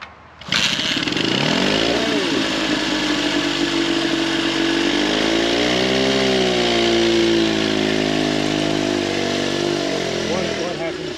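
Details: 1911 Scott two-stroke motorcycle, first start after mechanical restoration, with cleaned carburettor air holes and an AMAC carb: busy buzzing run, revs rising and falling smoothly with throttle, even strong firing throughout.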